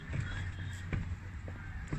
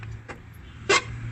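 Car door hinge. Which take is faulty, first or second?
second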